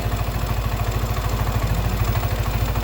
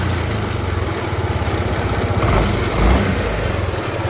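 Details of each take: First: Yamaha N-MAX scooter at about 28,894 km, after replacing the broken bearing, idling. An even, steady low pulse about three times a second with no knocking or grinding. There was no white smoke, so not the piston; the engine now runs quietly. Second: Yamaha N-MAX scooter at idle with a rough rumbling mechanical churn from deep inside the engine and no tapping on top. Caused by a worn crankshaft bearing.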